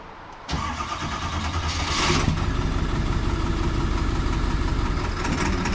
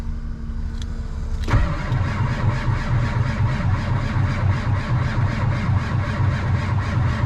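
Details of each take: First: Diesel tow truck bought at auction, just started in the cold after glow plugs and a new starter, settling into a steady, even low idle rumble, no knocks or misses; normal cold idle. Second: 7.3 diesel tow truck at about minus 25, cranking after glow plugs and ether with good batteries; slow, labouring, uneven crank about four turns a second as the old starter fails and smokes, later replaced.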